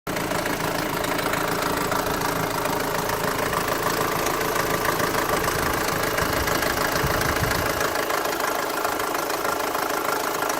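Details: Mk5 Golf GTI petrol engine idling with a steady, fairly regular knock about three beats a second; engine knocking at idle.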